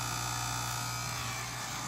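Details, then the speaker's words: Fluval FX6 canister filter after its first maintenance, which found about a tablespoon of sand inside: loud steady electric buzz where it was silent before; owner suspects sand in the motor/impeller, not confirmed. "went from absolutely quiet for me cleaning it into making this horrendous sound"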